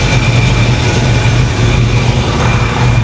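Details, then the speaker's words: 1987 Chevy Monte Carlo SS V8 (about 480 hp) after a fix for repeatedly bent water pumps: steady, smooth idle; the alternator belt flops a little but there is no wobble on the pump, which looks good, and no leaks. "everything looks good that alternator belt I'm watching is kind of flopping around a little bit that's fine no wobble on the pump you can clearly see it's good as"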